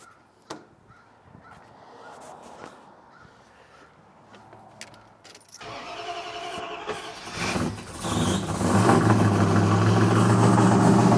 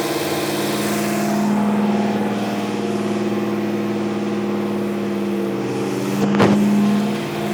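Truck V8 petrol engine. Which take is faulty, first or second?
first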